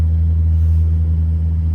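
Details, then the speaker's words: Furnace/air-conditioning blower motor humming since late June, heard at night: loud steady low hum with several fixed deep tones, no rhythm or pitch change; technician diagnosed failing blower motor. "and it's humming, and it does make various sounds, all of which are not normal."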